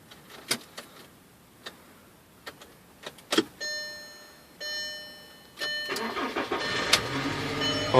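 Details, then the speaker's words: 2004 VW Jetta BBW engine after fuel pump and filter replacement: a few clicks and brief pump hum, then short crank and engine catches and runs without stumbling; normal start, pump buzz faintly audible. "oh yeah and it started so guys that was it you can kind of hear it buzzing down in there it's not very loud at all"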